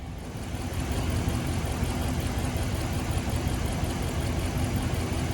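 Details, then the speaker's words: 2016 Ram 1500 5.7 Hemi V8 at idle with misfire on cylinder 3 despite new plugs and coils: deep idle with loose, uneven beat of two to three lumps a second, also missing around 2500 rpm; cause undiagnosed. "sitting here just a mission at idle now on number three"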